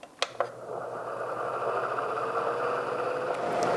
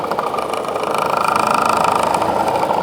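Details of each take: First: Honeywell air filter fan after cleaning and super-gluing a loose part: after a couple of clicks, smooth steady airy whoosh with faint low hum and no rattle, significantly quieter than before. Normal fan running quietly. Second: Honeywell air filter fan: steady midrange hum with a rhythmic rattle about four times a second; likely unbalanced by caked dust and pet hair; doesn't feel loose, bearings seem fine.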